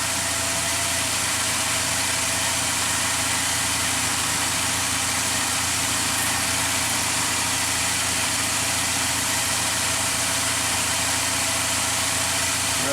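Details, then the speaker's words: Mazda MPV after transmission swap and test drive with some slip, idling in park for final fluid check with fluid right on F: even, steady idle, no knocks or misses, smooth hiss; normal idle. "right on the F. Perfect. It purrs."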